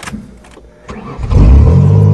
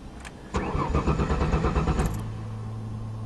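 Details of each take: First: 1994 Ford Taurus wagon after reattaching the fallen gas tank and fuel pump plug: quiet cranking, then catches at about one second and settles into a strong, even run; clean, healthy start. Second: 1994 Ford Taurus wagon, fuel system primed: starter spins engine in two long bursts, roughly three turns a second, never catching; tank out of fuel, owner suspects gas stolen; crank no start.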